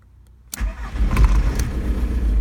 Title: VW Golf Mk3 Tdi - no start